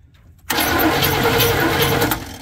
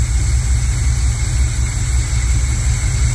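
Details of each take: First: Chevy squarebody truck parked 19 years: starter cranks in a short burst but the engine never catches, with new plug wires fitted, timing believed off and no fuel; no spark because the distributor was never plugged in, only its power wire. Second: Chevy squarebody truck parked 19 years: deep, steady, even idle burble that no longer dies, after the filter at the carburetor inlet was removed and a gallon of transmission fluid added. Normal idle.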